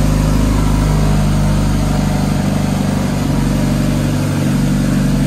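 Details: Dodge Caliber SRT4 turbo four-cylinder just after Precision 6266 turbo install with coated manifold and new gasket, first start, warming at idle: steady even low hum, no misses, ticks or hiss; healthy idle, new tune still needed.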